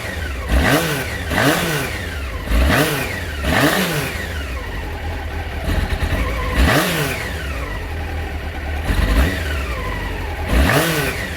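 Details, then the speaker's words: 1989 Honda CBR600 restoration after carb clean: throttle blips in neutral, revs hesitate and sag between 1,000 and 2,000 rpm before climbing, a real flat spot, likely carburation. "Got a real flat spot after one, between 1 and 2 foul."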